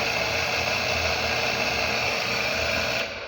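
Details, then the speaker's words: Household water pump that only buzzed because its rotor was stuck from lack of use; after freeing the rotor by hand, the motor runs with a rough whir and high whine, still straining while it lubricates and loosens. "is that noise tells us that it is still making a little effort"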